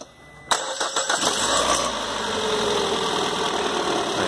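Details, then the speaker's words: Peugeot 408 2.0 first start after service, plugs and coil refitted, engine on temporary support: starter cranks briefly, catches cleanly and settles to a smooth even idle with no knocks; tensioner working, belt aligned, normal. "Tensionador lá bacana, chique, fazendo o trabalho dele ali. E o motor sereno, no ponto certinho."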